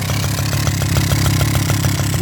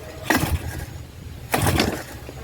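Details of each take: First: 1984 Suzuki LT50 two-stroke quad revived after sitting outside for years, oil not checked: small two-stroke burbling at a steady, even idle with a crisp regular beat and no misses or rattles. Normal idle. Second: 1984 Suzuki LT50 two-stroke quad left sitting outside uncovered for years, first revival attempt: about six sharp pull-cord rips, roughly one every second and a half. The engine turns over but never fires; cranks but no start.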